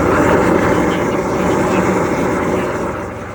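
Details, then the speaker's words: Hydro jetter at about 4,000 psi and 6 gallons a minute, clearing a factory drain line about 5 feet in: loud steady roaring hiss with rough chatter underneath; normal jetting operation. "We're putting about 4,000 psi at 6 gallons a minute because we can't get a bigger hose in there, and that's the biggest this is going to take us."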